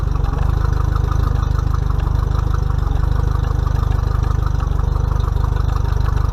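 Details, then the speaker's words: Mercury 50 hp four-stroke outboard on a 2020 Bass Tracker, first break-in service, run to circulate oil before checking level: smooth even idle, steady low pulse about 214 per minute, no knocks or ticks; healthy. "okay guys so you don't have to let it run long to try to get the old hot uh let it run for maybe a minute or less"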